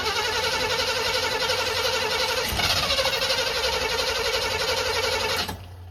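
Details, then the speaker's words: 1985 Chevy C20 sitting over 10 years, fuel being poured into carburetor: steady even cranking about four beats a second for over five seconds without catching, then starter released; crank no start, later judged flooded. "Well, it cranked, so I think either I'm out of fuel, because I ain't pouring enough."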